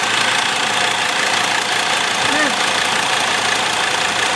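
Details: Mercedes Sprinter diesel, former news van, hot engine: idle with a light, fairly quick tick over the clatter from a blown cylinder two injector seal.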